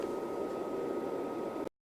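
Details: Rigol DP832 power supply with stock SUNON ME80251V1-000C-A99 80mm fan before replacement: steady airy whoosh with a thin constant whine on top; loud stock cooling fan noise.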